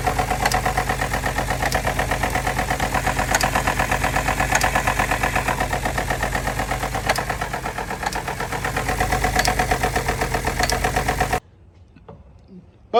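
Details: Towed-in Ford F-150 3.5 EcoBoost at idle: rough, loping chuff with sharp clacks; leak-down test good, but low compression on the driver's bank with an underboost code; the intake cam phaser had come apart.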